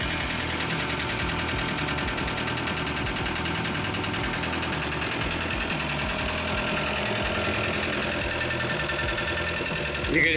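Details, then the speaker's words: VW TDI diesel in a Willys wagon that had a blown head gasket. It runs with a heavy, rapid rod knock pounding through the clatter; the owner suspects coolant water got into the oil and destroyed the engine. "You can hear how badly this thing is rod knocking. I think maybe some water from whenever the head gasket was blown has gotten to the oil and just destroyed this engine."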